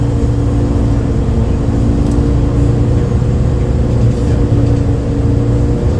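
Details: 2008 MAN Lion's City A37 bus, MAN D0836 LOH 63 diesel, ZF Ecomat 6HP, recorded on board in service with kickdowns: steady diesel drone with a constant low hum held over it; unusual engine sound, cause unknown.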